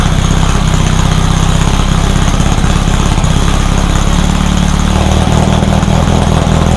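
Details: Rebuilt VW 1600 flat-four in a Baja Bug, first start after a two-year teardown, after retarding over-advanced timing: loud, low, fairly even putter at steady idle, no knocking or stumbling; it fired up and ran pretty good.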